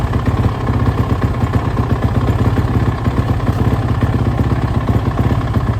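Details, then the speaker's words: Suzuki RMZ450 single after major engine and cylinder-head rebuild, first start on choke: uneven stumbling idle with rpm jumping erratically and varying loudness; owner suspects a lean condition as the head glowed. "it sounds like it's running really crap though as you probably said it's really like the RPMs are jumping all over the place it's real erratic"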